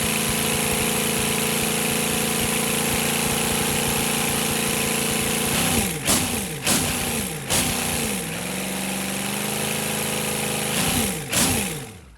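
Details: GEP/Navistar 6.5 diesel, rebuilt (Scat crank, 30 over, moly pistons), Stanadyne DB2831-4911 pump, on a stand, about 34 psi oil pressure: even idle, then sharp rev blips dropping cleanly back to a steady idle with no stumble or hunting; sound engine.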